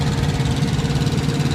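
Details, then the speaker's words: 2014 Kenworth T660 APU running with the truck's main engine off, supplying hot and cold cab temperature control: a steady low diesel chug with an even pulse and no knocks or misses, running normally. "uh that's my Apu that regulates the temperature for the truck hot and cold so I don't have to idle the truck so that noise you're hearing right now is the used truck is actually off"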